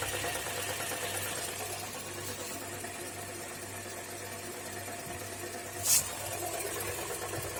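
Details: Toyota Corolla E150 idling very low and lumpy at about 400 rpm with a dull repetitive knock under a steady drone; the sound disappears as revs rise, source unclear.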